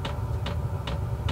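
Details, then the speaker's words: Portable diesel heater starting up in a tent: sharp even fuel pump ticks about 2.5 per second over a low hum while it primes; normal, the ticking fades as the vent and air noise take over. "you'll hear the clicking at first but it does deaden out after it gets going here so it's just priming right now"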